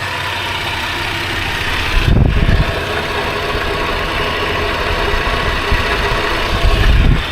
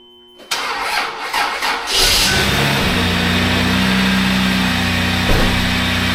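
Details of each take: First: Toyota 80 Series Land Cruiser, hot after about half an hour of running, oil pressure 15 psi at idle: a steady, even low rumble with no knocks or misses. Normal warm idle. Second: 1997 Lexus LX450 (80 Series Land Cruiser), years unused, weak battery on charger: cranks, catches and settles into a raspy, loud idle with a hollow drone as exhaust blows out of a rotted muffler with a broken bracket; needs a new muffler.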